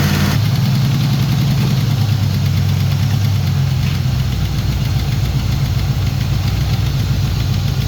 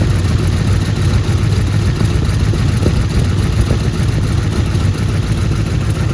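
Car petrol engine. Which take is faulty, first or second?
first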